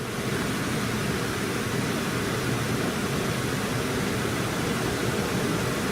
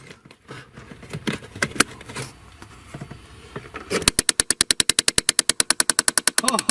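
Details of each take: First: 2012 Chevy Impala 3.6 V6 that gave heat only on the driver side, after replacing a faulty blend door actuator: a smooth, steady rush of air from the vents with no rattles or clicks, now blowing hot air on both sides. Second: 2012 Chevy Impala 3.6 L V6 direct injection heating only on the driver side: a fast, steady train of sharp plastic clicks, about ten a second, starting as soon as the previously unplugged blend door actuator is plugged back in, showing the actuator is malfunctioning.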